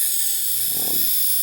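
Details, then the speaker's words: Nanao MS9 29-inch CRT monitor running: loud, steady high-pitched hiss from the back, concentrated around the neck board; the image flickers slightly and the monitor sometimes shuts itself off. Cause unknown. "all right so go ahead and turn this thing on and let you guys take a listen to it but you can hear the back of this thing hissing like crazy"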